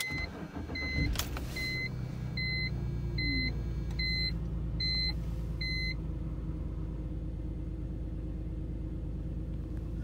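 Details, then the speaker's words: 2005 BMW 325i E46, M54 petrol engine, code P0306 cylinder 6 misfire; owner thinks ignition coil needs replacing. Engine cranks, catches, then settles into low, slightly uneven rough idle, before coil replacement. "it was a misfire in cylinder six and the code that came back was p0306 so i think i need to replace the ignition coil"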